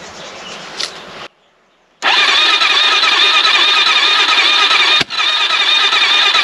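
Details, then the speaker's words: AJP PR7 motorcycle's first start after an engine rebuild: steady, labored cranking at about four beats a second that never catches, because the battery is too weak. "die Batterie klingtind schwach muss ich ehrlich sagen die Batterie ist zu schwach mehr Power ich weiß nicht ob es ausreicht aber"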